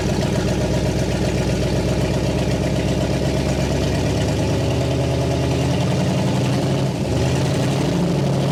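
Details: 1960 Pontiac Catalina 389 V8 sat since 1985, now fed from a boat tank via electric fuel pump: steady, even V8 idle, smooth low burble, no misses, ticks or knocks, no fuel leaks, exhaust sounds good; dwell still far off.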